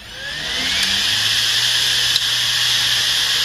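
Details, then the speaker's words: Hard drive plugged in outside a computer: smooth whir climbing steadily in pitch as platters spin up, no clicks or scraping; normal hard drive spin-up. "there we go so you notice it's um it has that sort of stereotypical sound as it kind of spins up and you've maybe heard that um and you're like turning on your laptop or your computer or something"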